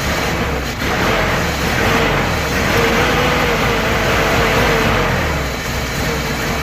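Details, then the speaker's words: Nissan Hardbody in freezing cold weather after sitting in the street: steady, loud cranking with no firing; it cranks but won't start, and the cause is unknown. "link still nothing it just kicks over so I'm not too sure what's going on guys"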